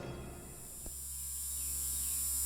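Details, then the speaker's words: Genie Legacy 850 garage door opener (Overhead Door label) with a low, steady electrical hum and buzz at idle, loud enough to drown out a TV; Genie tech support blamed the transformer, and replacing it stopped the buzz. "talking with genie tech support they came to the conclusion that the transformer is just buzzing and uh giving him that annoying noise"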